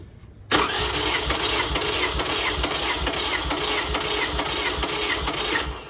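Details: 2005 Toyota Camry LE 2.4 2AZ-FE, oil burner, EFI fuse pulled, plugs out, throttle held wide open, compression gauge on cylinder 1: steady, even cranking chug for about five seconds without firing; cylinder 1 read about 150–155 psi, owner thinks not good.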